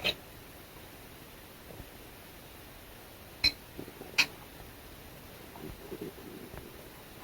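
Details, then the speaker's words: 1997 Mitsubishi CK-35308 CRT TV that hums its degausser but won't power on; about three seconds after unplugging, two sharp little clicks, owner assumes something discharging; cause unclear. "and then same thing when I unplug the cord it makes a little clicking noise"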